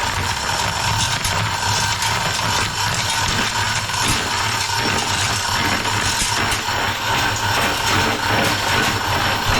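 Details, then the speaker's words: 2006 Craftsman LT3000 mower deck with blades spinning; steady whirring rattle with loose uneven ticking from a warped deck idler pulley with a flat dead spot, not the bearings. "oh yeah there it is uh I can see this idler is Warped yep it's uh got a dead spot in it so that's what's going on there"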